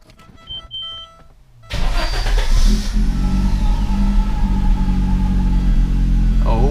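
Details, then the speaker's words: 1987 Audi 5000 CS Quattro after CIS fuel injector replacement, restarted after cooling 20–25 minutes: a couple of chimes, then it catches instantly, revs out smoothly and settles straight into an even idle with no lumpiness; injectors believed to have been the fault. "gosh that revs out so smoothly comes down to a nice even idle immediately right when you start it up there's no lumpiness that it has to resolve it's just right into a good idle"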